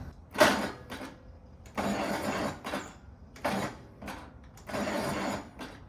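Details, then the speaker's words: 1950s Allis Chalmers CA tractor, engine freed after being seized 20+ years and reassembled, cranked in neutral with clutch in: slow, sluggish cranking bursts with pauses, never fires; battery may be dying; no spark found, coil replaced next. "We weren't getting any spark, so I went ahead and got a new coil."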